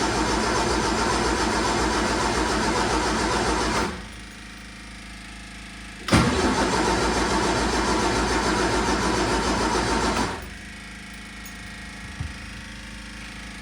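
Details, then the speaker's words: 1978 MG with the carbs reset to base settings (idle mixture screws seated, then backed out), cranked late at night: two bursts of steady cranking, about four turns a second, never firing; owner suspects no fuel reaching the engine. "right now I'm just cranking and then all I hear is cranking but I don't hear the engine turning over and I can't really see why I'm assuming the fuel isn't actually going into it"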